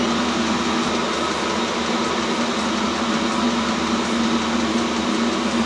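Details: New self-contained Chinese diesel heater on first run, output air 70 °C; loud even air rush over a low steady hum, no surging or rattles; normal running at full heat.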